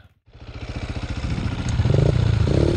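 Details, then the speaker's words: Honda XR600 dirt bike that locked up on the trail, turned over: slow, regular metal clacking and scraping that quickens with speed; owner suspects a dropped valve or broken cam chain, not confirmed. "um not sure yet if i dropped a valve or broke a cam chain or what but she locked up when crunchy crunchy crunchy urch"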